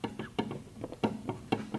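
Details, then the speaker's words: Vernon milling machine table pushed by hand in a quiet shop: sharp, dull clunks about twice a second from play between the handwheel knob and the leadscrew. Leadscrew backlash, to be taken up with the set screw adjustment. "This should have a very similar adjustment in it where I can take that that set screw, I can loosen it, shove the this knob forward to meet the lead screw, and take that slop out."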